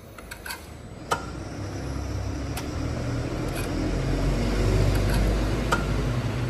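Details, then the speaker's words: Chevrolet Vectra cranking with the throttle floored during a compression test: a low, sluggish churning with clicks that never catches. Slow crank from a weak battery that won't hold charge and a tired starter motor. "lembrando viu galera bateria que tá ruim motor de partida desse carro também não tá muito bom não mas vamos lá"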